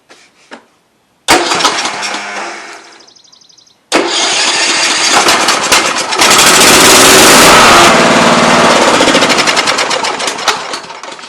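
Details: Kohler-powered Troy-Bilt riding mower with the failed anti-backfire fuel solenoid bypassed for testing: a short crank dies, then a second crank catches quickly and settles into a strong, steady run; starts healthy.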